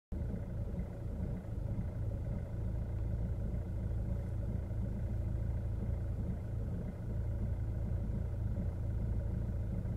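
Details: Kia Ceed 1.6 CRDi diesel at idle: a steady, deep, rough rumble with a loose rattling edge.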